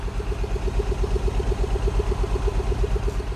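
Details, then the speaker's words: Non-running Mini Cooper S just started with a dead battery, idling before warm-up: lumpy idle with a rhythmic stumble nearly three times a second over a steady drone; definite misfire, cause not yet known. "That's definitely got a misfire, alright."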